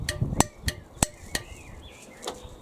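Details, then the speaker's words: Hyundai lawn mower with the OPC handle pulled and start button pushed: sharp metallic clicks, about four a second, then quieter ticks; the starter solenoid plunger is pulling in, so the coil is energising. "that kinney clicking sound is the little rod going back and forwards in the solenoid which is supposed to make the connection between those two large terminals"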